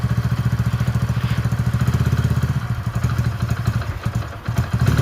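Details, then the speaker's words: Hero Passion Pro after a full engine rebuild, kick-started on choke, then choke off. Even, quick putt-putt single-cylinder idle at a steady rhythm, no knocking or rattles; engine sounds clean and healthy. "Sound వినండి ఒకసారియతే clear గా sound ఎట్లా వస్తుందో చూడండి ఒకసారి అయితే engine sound మంచిగా వస్తుందన్నమాట."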